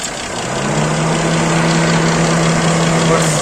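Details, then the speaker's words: GAZelle Business with a Toyota 5VZ-FE engine after the knock was fixed by refitting a slipped-off hose on a valve: a smooth, even idle with a steady low hum and no ticking. "слышите уже того звука нету"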